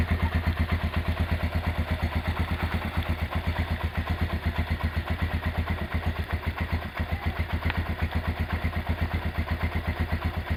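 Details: Rebuilt Honda GL100 single-cylinder engine with an Aspira piston and valve clearance set at 0.10: an even, steady putter about four beats a second with no ticking or knocking. Normal smooth, healthy idle after restoration.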